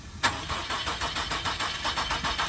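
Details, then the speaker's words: 2001 Nissan Frontier at police auction, on jump box: steady starter cranking about six even pulses a second with no firing; cranks but won't start, seems not to be getting fuel (suspected); transmission also reported slipping. "Try Trying to start, but uh just not Doesn't Doesn't sound like it's getting any fuel right at the moment."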